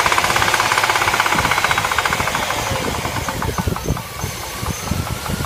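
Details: L35 engine at idle: rapid, uneven tapping at roughly three a second runs through the idle, fading slightly as it settles. Engine knock, cause unknown.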